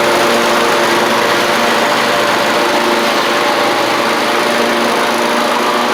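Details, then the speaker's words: Two-year-old Troy-Bilt zero-turn mower, Kohler 24 hp 7000 series V-twin, after fixing fuel delivery problem (water in fuel) and a badly fitted replacement carburetor gasket. Loud, even, steady drone with no misses or surging; normal running. "Um, now it should kick over pretty easily. Otherwise, you can hear it's running good."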